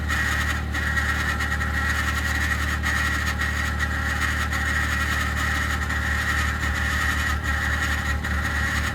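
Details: 2021 Ford F150 PowerBoost remote cold start at -16°C: loud steady rough drone with high whirring edge over cold idle, like a fan rubbing its housing; only below about -11°C, quiet after ~10 minutes; cause not pinned down.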